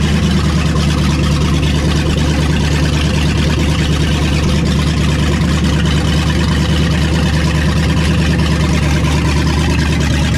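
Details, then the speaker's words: Vehicle just restarted after sitting a long time, warm at 190 with oil pressure dropping slightly: steady, lumpy low idle with a slow rise and fall in speed; slight idle surge, cause not pinned down. "got a little surch to it too got a little bit of a surge to it but did just get woken up from a very long nap so I'll keep tinkering with it"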